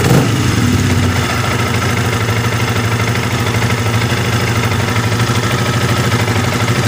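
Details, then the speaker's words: Yamaha R15 at idle after adjusting the cam chain tensioner and refitting its adjustment-hole cover: steady, even idle with no rough ticking. The earlier rough top-end noise came from the tensioner, not the cam chain, and is now gone. "Suaranya menurut saya ini sudah ada perbedaan Pak. Di sini suaranya sudah gemitiknya, suara kasarnya sudah hilang Pak ya."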